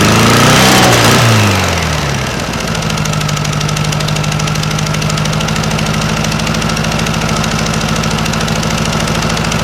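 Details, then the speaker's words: 1956 VW Beetle engine just started on a swapped-in Solex 34 PICT 3 carburetor: a steady idle with a quick, regular pop-pop-pop. It is an exhaust leak at the heat riser flanges, which have no bolts fitted, not valves. "you did probably notice it's a little bit of a Papa Papa Papa Papa sound it's not valves that sound you're actually hearing is the heat risers right here because I don't have the bolts in either side so you're hearing that popping"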